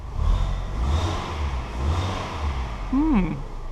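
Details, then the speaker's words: Fiat 500 auction non-runner, now running after resetting the triggered fuel cut-off with the manual's indicator sequence. Steady low rumble rising and falling smoothly with light throttle, no misfire or knock: it runs healthy. "Simple as that. So we've turned a non-runner into a runner by literally just doing what's in the user manual for this car and resetting the fuel cut-off with literally a little sequence of the indicator."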